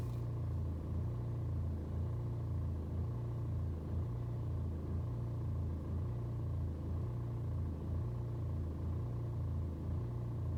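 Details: BMW 120d with N47 diesel, cold start: deep idle with slow rise and fall in revs about once a second, never settling for over 2 minutes; hunting rough cold idle, fine on warm restart, no useful scanner codes.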